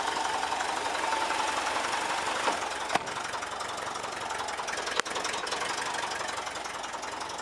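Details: 1979 VW Westfalia Bay Window camper, air-cooled engine idling, mains charging faulty; oil light lingers until pressure builds: even idle behind loud steady fan rush, no knocks or misses; normal idle.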